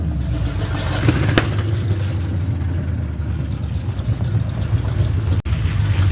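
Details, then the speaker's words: 1970 Chevy C10 truck revived after 10 years parked: deep, raw, booming rumble, loud at steady idle with throttle; running with no exhaust system fitted, needs one. "it needs an exhaust because she is loud and i mean loud i guarantee you the neighbors hate me"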